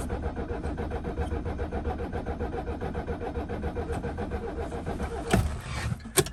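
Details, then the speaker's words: 1976 Mercedes-Benz 300D diesel in neutral cranks steadily with a few even churns per second but never fires; fuel reaches only injector number 4, the others stay dry, so fuel starvation to injectors causes the no-start. "I've got fuel coming out of number 4, but the other ones are dry, and I don't like that."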